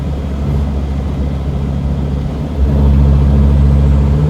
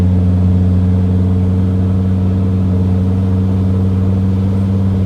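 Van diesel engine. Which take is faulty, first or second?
first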